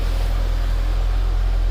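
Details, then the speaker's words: 2011 Mitsubishi Eclipse 2.4L, first run after new timing belt fitted following crank-no-start: low, even hum with no misses or tapping, running pretty smooth while oil circulates; normal idle. "It's running, guys. Seems to be running pretty smooth. This is awesome."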